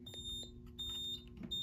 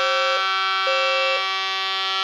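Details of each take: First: Edwards fire alarm panel repeats a high trouble beep about every 0.7 seconds because a System Sensor smoke detector on Zone 3 (4.7k ohm monitored) is off its base; needs tone silence after reattaching. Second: Fire alarm system test with Edwards devices, activated by a key-only pull station: loud steady horn tone with a second horn pulsing about once a second; system working normally in general alarm.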